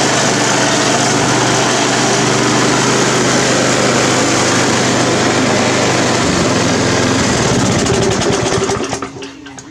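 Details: Briggs & Stratton 350 Classic mower with a replacement fuel tank and carburetor from another engine, replacing the cracked tank: steady even drone at one speed, no surging or hunting, then winding down at shutoff; running smoothly.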